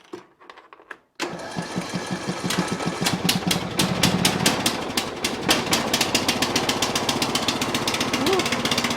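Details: Riding lawn tractor that would not turn over, after replacing the starter relay: brief quiet cranking, then the engine catches and settles into an even chug of about four beats a second; runs normally.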